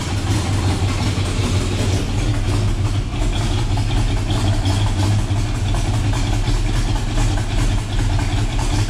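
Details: Chevrolet El Camino V8 first start after Holley EFI install with electric in-tank fuel pump, EFI self-learning: deep, steady rumble at idle, even low pulses, no stumbling, popping or hunting; normal idle.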